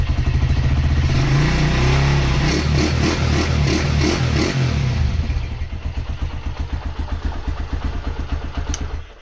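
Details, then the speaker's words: Honda GL100 motorcycle bored up to 160 cc with Megapro engine parts, NPP carburetor, new clutch and throttle cables: revs up then settles to an even light single-cylinder putt, runs smoothly; thin exhaust note lacking GL character. "Dan untuk suara mesin bisa didengar sendiri."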